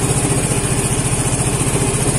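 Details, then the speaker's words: Vespa Matic scooter that suddenly wouldn't start, with battery now reading 12.6–12.7 V after the fix: finally starts and settles to a steady, even single-cylinder putter at idle with no knocks. Charging reads 14.6 V running. Normal idle. "alhamdulillah ahirnya nyala motornya"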